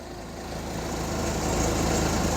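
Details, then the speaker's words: Hyundai 30L-7M forklift, GM 3 L LPG engine with GCP system, idling after DTC 1173 set: rough, uneven idle slowly getting louder with a soft lumpy beat; it is running really rich. "I would not doubt the oxygen sensor reporting bad because I can't smell it from the exhaust like this is really running"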